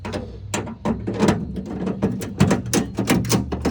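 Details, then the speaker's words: Ford F100 truck door after installing a replacement door handle shaft assembly: crisp, clean clicks and latch snaps in quick succession with no grinding or binding, so the latch and lock work properly. "All right, sounds like it's working. Lock in, open, cool."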